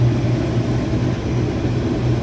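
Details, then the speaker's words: Bean head on a combine run wide open after prep; loud steady low drone with pulsing beat at full speed, shaking and chattering, owner says it runs smooth once on the ground, cause not pinned down; shake and vibration. "Fire it up, right wide open. It's got a lot of shake and vibration to it, which I don't like, but once you get it on the ground, everything's running smooth."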